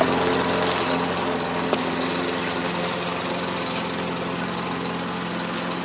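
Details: MTD push mower repowered with matching overhead-valve engine, cutting grass after repair: small single-cylinder drone at even steady speed, no misses or surging; runs properly under load, oil leak still to fix.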